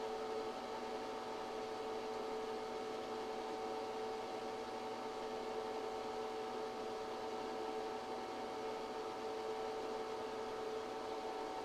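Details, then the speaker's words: ChocoVision Revolation 2 chocolate tempering machine heating chocolate toward its 108°F melt point over about 20 minutes: quiet, steady electric motor hum with a faint constant tone and no knocks or rubbing; the stirring drive sounds healthy. "Over roughly 20 minutes, your chocolate will continue to climb toward the 108° melt point."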